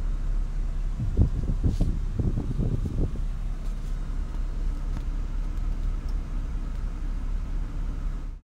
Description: Quick video of my idle issues, which seems to have improved some, but it still acts up from time to time.